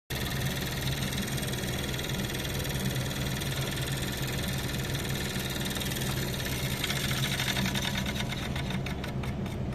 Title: KILM HALO Fan Making Noise 06/22/2022